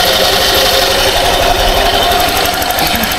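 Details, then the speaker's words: Honda Click 125i scooter at idle after a DIY tune-up with the gap reset: a steady, fine, smooth, even patter. The earlier ticking ("lumalagitik") is gone and the engine runs healthy. "Ang ganda ng kanyang tunog, smooth na smooth. Goods na yan guys."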